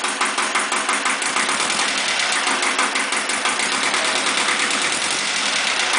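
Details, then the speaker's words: Iseki compact tractor diesel (KE70 engine) at idle during a blow-by check: even, steady clatter about three beats a second, no misses or knocks; good-running engine, normal idle. "it's a pretty good running engine and regardless of the blow by it's i'm happy with it"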